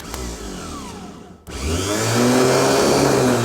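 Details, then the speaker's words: Faulty Autozone remanufactured starter from a 1983 Porsche 944, bench-tested off the car. It whirs steadily but the pinion never throws out. "Ah, see how it spins, but that doesn't pop out. This has to pop out right the moment it starts to spin."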